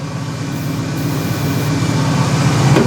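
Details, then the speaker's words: 1972 Cadillac hearse V8, first start in 29 years after sitting since 1995, no mufflers: uneven, loping idle around four beats per second, rising slightly as ignition timing is adjusted. Rough running. "not sure if you can hear it over the O will be running but you'll know when this car is shaking it's running"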